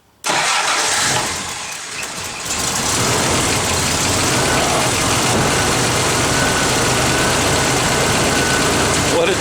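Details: 1994 Toyota 4Runner after repair for hard starting and stalling at idle: petrol engine catches almost instantly and settles into a smooth, even idle.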